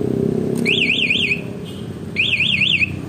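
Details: Alarm (MP one-way remote type) being fitted to a 2017 Honda Vario 125 LED, an injection motorcycle: two bursts of a high warbling siren, each under a second, rising and falling fast over a quiet background; alarm tripped by movement.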